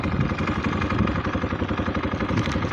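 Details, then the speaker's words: Italika DM 250 motorcycle, about 15 days old, windy recording: steady single-cylinder idle with light regular metallic ticking on each firing pulse; owner asks whether it's normal as Italika's mechanic said; cause unconfirmed. "quiero saber si ese ruido es común así como lo mencionó el mecánico de itálica"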